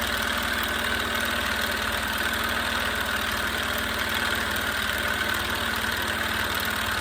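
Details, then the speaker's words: Small salvaged compressor test with unknown pressure-switch setting: rapid, labored chugging at about three strokes a second with a dragging beat, stalling near 28 PSI. Wire gets very hot; pressure bleeds off, so it likely needs a check valve. Struggling to build pressure. "we're having a hard time now [Applause] we're not quite the 30 yet [Applause] it's just hanging out right there at about 28 PSI"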